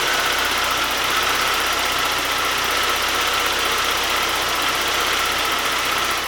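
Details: 1991 Saab 9000 2.3 turbo 16-valve, after an easy repair under the coil pack for an intermittent running fault, before warm-up drive: steady, even idle with no misses, knocks or surges; normal idle.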